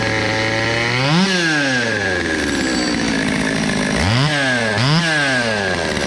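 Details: Cheapest chainsaw from Amazon, two-stroke, after amateur porting and a quick tune: blipped from idle to high revs and back several times, revving cleanly and returning to a steady idle.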